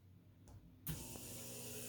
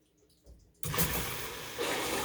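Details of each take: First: Maytag washer with low-flow error, original hot and cold fill valves after swapping plugs with the fabric softener and oxy valves: soft click, then only a faint, thin water hiss; weak fill valve flow. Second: Maytag washer with low-flow error, fill valve plugs swapped onto the unused fabric softener and oxy valves: click then strong, steady rush of water, never sputtering; fill valve flowing fully.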